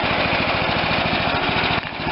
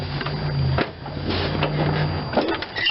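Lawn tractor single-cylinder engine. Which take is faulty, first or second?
second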